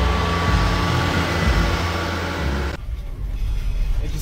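The engine turns over and settles into a steady low rumble with an even beat of about four per second. It starts and runs normally.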